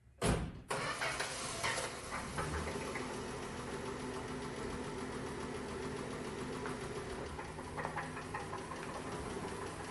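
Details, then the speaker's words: 1963 Dodge Polara slant-6: starts and settles into rough idle with uneven, occasional tapping knock, worse at higher RPM; bottom-end knock, spun rod bearing suspected, not confirmed. "It's an occasional knock. It doesn't knock all the time, but definitely at higher RPMs. Very weird."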